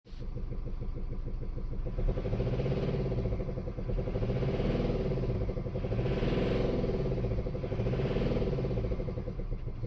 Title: Mercedes E220d 2018 knocking noise due to broken camshaft, rocker arms & lifters.